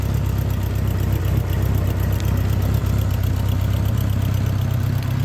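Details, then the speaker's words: 1986 Honda GL1200 Interstate Goldwing, warm idle, with a dying clicky fuel pump and smoke after sitting: a steady, slightly ragged puffing chuff about four times a second. The exhaust is leaking. "as you can see here the smoke some of that's just burning off of the pipe too but it does have exhaust leaks"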